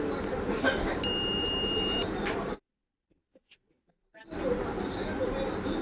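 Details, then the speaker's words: Multimeter continuity test on the armature of a DC 775 motor (rated 11.8 V, not running due to a worn carbon brush): steady high beep across commutator segments, connection intact, no open winding. "এই আর্মেচারগুলো check করার ক্ষেত্রে কিন্তু আপনারা সবাই সাউন্ডটা শুনতে পেলেন। অর্থাৎ বোঝা যাচ্ছে যে এখানেও কিন্তু কোন জায়গায় মানে কানেকশন বিচ্ছিন্ন নেই।"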